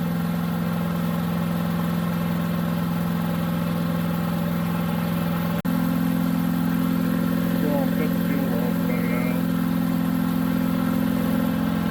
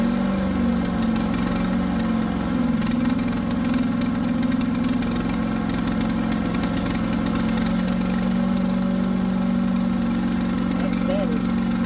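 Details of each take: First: New Harbor Freight Predator 212 chipper shredder, fresh oil, break-in: steady single-cylinder idle holding with choke about three-quarters on; only runs on choke, fuel draining and carburetor bowl service followed. Cause suspected, not confirmed. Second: New Harbor Freight Predator 212 chipper shredder that previously ran only on choke, restarted after the fix (choked, then choke eased about halfway): steady, even idle with no surging, running cleanly.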